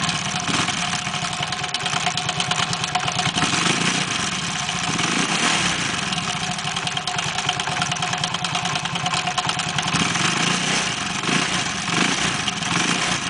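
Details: Small engine idling with a fast, busy rattling tick over a hissy, uneven background; abnormal noise at idle, cause not pinned down.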